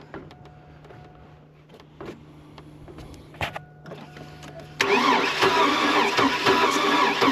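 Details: Oldsmobile Bravada crank no-start, sat a while, during a compression test: even cranking about four beats a second with no firing; it builds some pressure but not enough, low compression and a blown engine.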